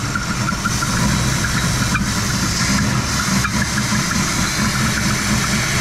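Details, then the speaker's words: Old Oldsmobile V8 just restarted on its own fuel tank with the fuel pump and old gas, choke left closed: uneven loping idle with a heavy rich rumble; owner unsure why, running rich, later found to be choking itself out. "Oh, it looks like it. All right. I don't know why it's so lopey, but they have a"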